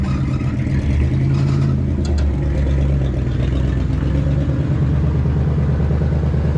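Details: 1967 rig, over 50 years old, started on full choke and running on old bad gas. Loud, low rumble with a slightly lumpy, uneven beat. Running rough.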